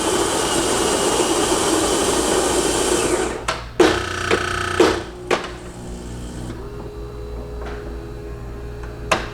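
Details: Saeco Spidem Villa super-automatic espresso machine after a leak repair (clogged drip path cleaned, new grommet fitted, water tank refilled), making coffee: steady grinder whir, brew-unit clunks and a soft pump hum. It cycles normally with no leaks.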